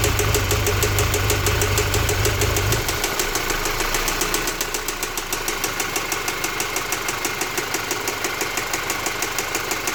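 Sharp, regular ticking knock about three per second over the idle, staying steady once revs settle; a knock of unknown cause.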